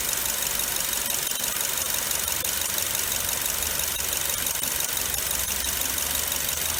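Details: 2005 Nissan Wingroad (DBA-Y12), 103,064 km, at idle: loud steady hollow roar from the alternator. Worn alternator bearing suspected; fixed by fitting a rebuilt alternator.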